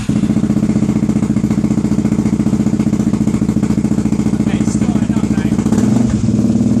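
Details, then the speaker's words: Suzuki DRZ400SM with new fully charged battery, previously not starting and breaking down when hot: lumpy uneven single-cylinder idle that sags and hunts for revs; owner suspects fuel starvation, possibly carburettor. "well as you can hear it's is at least starting up now it wasn't starting up at all"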